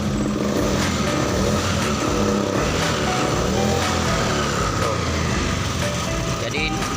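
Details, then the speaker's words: Honda Beat POP injection scooter that died while parked with no start or spark: engine fires and settles into a steady, even run with no misfire; cause was the side-stand switch circuit cutting starter and ignition, now cleared. "Coba kita starter ini masih normal switch starternya"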